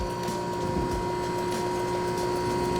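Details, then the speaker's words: Ice cream batch freezer churning ice cream base as it thickens toward a pudding-like, marshmallow texture: motor works harder, tone changes, steady drone with faint light ticking rattle over it. Normal running under load. "because the cream is getting thicker the machine and the motor works harder so it you hear the tone change in the machine"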